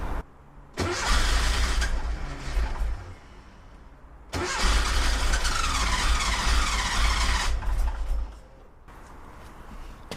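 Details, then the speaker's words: Porsche 914, 2056cc on dual Weber carbs, in the rain: two bursts of steady cranking, about four turns a second, with no fire while pumping the gas; owner suspects it was flooded last time, spark to be checked if not. "Doesn't like that, does it? Let's see if we can get it started just by pumping the gas before taking the tops of the carburetors off, just seeing how they are."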